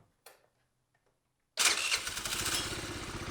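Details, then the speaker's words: Tao Tao 50cc scooter, non-running for about a year, on a start attempt after repairs: silence, brief crank, then the small engine catches right away into a quick, even buzzing run; normal start. "I'm gonna be so happy when this runs. Here's the shot. Will it go?"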